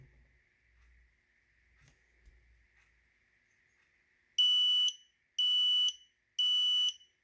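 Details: Kidde KN-COSM-IBA smoke and carbon monoxide alarm: three loud, shrill half-second beeps, one per second, the smoke alarm's fire signal.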